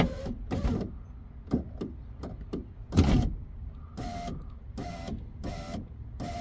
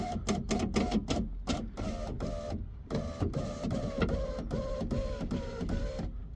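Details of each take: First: 2017 Mitsubishi Outlander power window after window regulator replacement and rewiring of track-damaged wires: short, repeated even motor whirs of about half a second, no grinding or clicking; window works, though it won't stay going down and the main switch is suspected faulty. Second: 2017 Mitsubishi Outlander power window right after window regulator replacement and rewiring: short motor whirs repeatedly start and stop, about two a second, window won't stay down; suspected faulty main window switch, unconfirmed.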